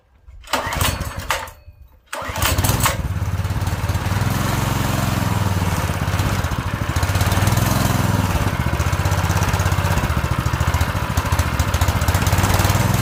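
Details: Predator 212cc 6.5 hp engine newly swapped into a mini bike, governor removed, new clutch, choke on: a few rough pulls, then it catches and settles into an even single-cylinder chug; it starts and runs well.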